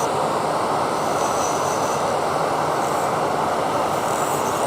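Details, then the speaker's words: Wood lathe turning a tree ornament: continuous harsh rattling rasp as the tool chatters because the thin middle section of the workpiece wobbles and vibrates. "That means that it's kind of wobbling around, basically. Because this middle part is so thin that it's vibrating."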